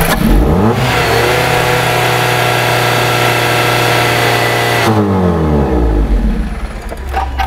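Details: 2010 Jeep Patriot that went shop to shop and dealer, stalling after start even with new coils on cylinders 1 and 4: starts and climbs under revs, holds briefly, then sags and stumbles toward a stall; ignition coil noise disturbing crank sensor signal.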